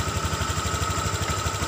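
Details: Honda Vario 150 eSP scooter: silent at low rpm, krotok-tok rattle at high rpm, about ten beats a second over the engine. Holding the rear cover panel stops it. Body panel rattle from the loose cover.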